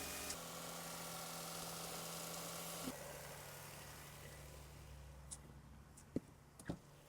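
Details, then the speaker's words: 1999 Toyota Sienna just after replacing the valve cover gaskets, PCV valve and grommet, spark plugs and tube seals. A steady, even idle hum with no knocks or misses and a couple of light clicks near the end; normal idle. "okay engine sounds good I'm going to check for legs just in case old oil"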